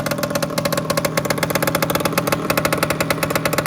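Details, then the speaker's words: Lambretta scooter at idle after its low-hanging exhaust bend smacked a stump: sharp loud chuffing pops about thirteen a second locked to engine beat; exhaust blowing badly near the manifold, owner first feared broken manifold studs but saw no visible damage. "Um, and I first of all I thought I'd broken the studs out of the exhaust manifold or something, but looking at it in the dark, I couldn't see any real damage, but you could definitely hear that it was blowing."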